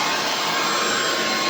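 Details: Bissell ICONPet Turbo cordless stick vacuum running: loud, steady high-pitched whoosh with no wavering or rattle; owner calls it a little loud; motor running normally at full power.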